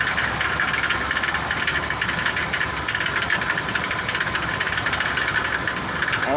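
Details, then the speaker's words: Colony Park station wagon idling after exhaust repair: fast fine rattle over a steady hum, no deep knock, now noticeable with exhaust quiet; owner suspects something loose low around the flywheel/starter area, unconfirmed; idle rattle. "problem is is that this I'm hearing"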